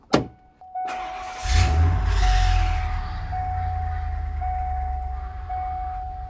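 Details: Truck V8 with a P0306 cylinder 6 misfire code, after repair: cranks, catches and settles into an even, steady idle with no miss, under a chiming dash warning; battery light newly on.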